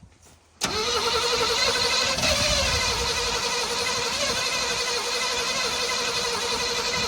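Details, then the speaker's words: 1979 Chevrolet C10 being revived, start attempt, cranking without throttle: the starter kicks in, then a rough, uneven crank and catch with a sharp pop; the engine backfired and the spark plug wires are suspected to be out of firing order. "It backfired. You sure you got the wires right?"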